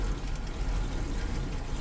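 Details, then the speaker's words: Suzuki Katana after fitting electric fan and thermostat, engine not yet at working temperature: low, uneven idle around 100-200 rpm shaking the bonnet stay, wavering as if about to die. "ini suaranya kap mesin penyangganya geter karena mesinnya kan geter kayak mau mati gitu nah ini kondisi di engine RPM 100 kayak mau mati tapi belum mati ya"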